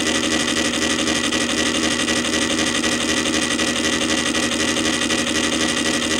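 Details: Columbia Graphophone AH spring motor after service, run without a record; fossilized powdered grease that had caused clanging springs was cleaned out; smooth even whir with a soft regular tick about four times a second, no clanging: normal running.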